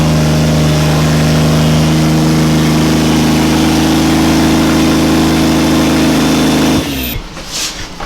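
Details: Barra T turbo straight-six in Toyota Landcruiser, just after first start, throttle pedal check: steady firm engine note held under throttle several seconds, no knocks or rattles, then shut off; normal revving.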